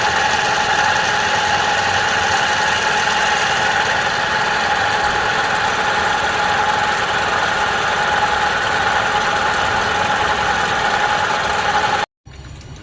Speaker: water pump is loose.